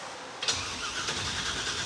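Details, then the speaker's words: V8 fitted with a replacement starter for a '97 Camaro after the first one stayed engaged with the flywheel: a sharp click, then a steady, even whirr as it spins freely. Normal starter cranking. "nice the starter works any gas yet do we know that there's any gas in the car"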